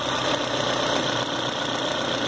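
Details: 2010 Citroën C4 Hatch 2.0 during its 50,000 km service, restarted partway through the work: even, settled idle with a steady hum and no ticking, slapping or belt noise. Normal idle.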